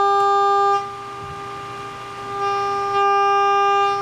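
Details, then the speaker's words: Pyle amplifier stress test into 8-ohm speakers: a steady test tone turns harsh and buzzy when turned up, cleaner when lowered; scope shows clipping, preamp possibly overloaded; amplifier distortion. "Let's crank it up. Oh, now I hear lots of distortion."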